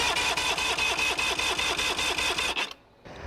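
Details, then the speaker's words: Outboard engine during a compression test: cowling off, all spark plugs removed, gauge fitted, spun 3–5 revolutions on a starter button; all cylinders read in the low 130s psi. Even, unlabored cranking at about 2.5 pulses per second; normal. "Screw in your compression gauge and either have a friend turn the key or use a starter button, as I have here, and spin the motor over 3 to 5 revolutions."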